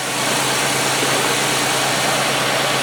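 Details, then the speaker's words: 1995 Oldsmobile 88 3800 Series II V6 after fixing a crank no-start caused by no fuel delivery: settles into a steady, even idle with no misses, stumbles or knocks; running normally. "nothing like the sound of a 3,800 running as it should"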